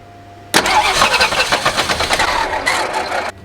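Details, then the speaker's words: 1961 Ford Falcon abandoned 15 years, cranking after gear oil was added to the cylinders and it briefly ran smoky: harsh, uneven clatter and no fire. Cause unknown; the owner suspects the flex plate, transmission, a blown engine or half-seized rings. "didn't sound good did we blow it up already crank it let's let it sit a moment well something is very definitely very unhappy in there"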